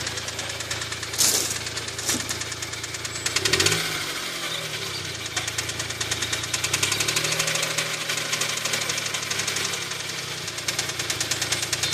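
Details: Smart Roadster small petrol engine idling with a persistent fast, sharp knock on every revolution; big-end bearings are suspected, possibly needing a crank regrind or a new crank. Not confirmed.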